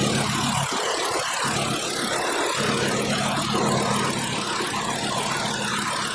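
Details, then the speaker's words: 2012 Volkswagen Jetta 2.5 five-cylinder with constant misfire, found by unplugging coils one at a time at idle: lumpy uneven idle with irregular stumbles; one cylinder dead, owner suspects bad coil. "Okay. All right, so this cylinder is not working."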